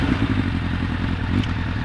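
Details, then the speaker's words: Suzuki Bandit 1200 project bike, cold start on choke, just after choke let off: uneven lumpy idle, coughing and spluttering, running on three cylinders instead of four; misfire. "coughing and spluttering a little bit which isn't great but don't know if you can hear that through the microphone but it's definitely on three cylinders"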